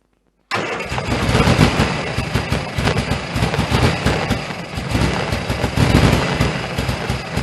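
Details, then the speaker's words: 1098cc A-series engine in a Turner Ranger Mini-based tractor, cold, SU HS2 carb just serviced and refitted. Catches straight off the crank, then runs with an uneven, lumpy beat and wavering level; rough because there's no choke. "little bit rough because there's no choke on it, but this is running, so I'm going to get it outside and then we'll give it a good long run."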